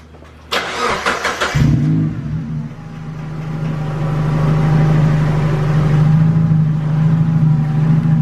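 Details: Mazda Miata NB first start and drive after sitting over a year: short crank, then catches into a loud, deep, steady drone; loud exhaust on start-up.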